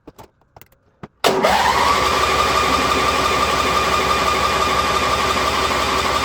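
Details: International Harvester Cub Cadet 1641 lawn tractor, unstarted about 10-15 years, fresh gas, dead battery aided by jump pack and charger: starter whirs steadily, cranks evenly without firing; suspected no fuel getting through; crank no start, jump pack run down.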